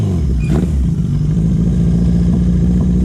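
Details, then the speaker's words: Newly finished Yamaha XJ650 build on first test ride, engine not yet run in: runs lumpy and uneven down low with a slight stumble, owner suspects running rich and idle set too high; needs tuning. "i'm not sure if you can hear it but down low it's got a bit of a misfire not a misfire it's just not running properly i think it's running rich and the idle's too high"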